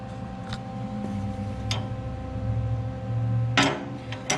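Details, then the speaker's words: 1968 Ford 5000 gas tractor at idle after welding thicker plate onto the damaged steps; sharp, irregular metallic clanks as the clutch and brake pedal arms strike the step plate, still loud; owner considers mud flap pieces as cushioning. "now it's still pretty loud though. I think I might get some mud flaps, cut some pieces of mud flap, maybe glue them onto these arms. Maybe that'll help cushion that sound."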